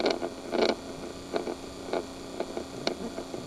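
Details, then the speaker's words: 1998 Chevy Silverado 2500 454: the recirculation/fresh-air door actuator behind the dash runs constantly with the key on, making irregular plastic clicks and ratcheting bursts. It sounds like stripped gears skipping teeth; cause suspected, not confirmed. "okay there's the actuator it's really hard to be able to see up in there if you can hear that sounds like gears that are stripped"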